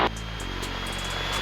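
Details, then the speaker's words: Mooney single-engine aircraft run-up at 2000 RPM after mag and carb heat checks; prop control cycled, brief RPM drop and propeller pitch tone change, then settles evenly; normal run-up. "And we're gonna cycle the prop control or pull that out. We got a drop, we hear the prop pitch change, and we're good."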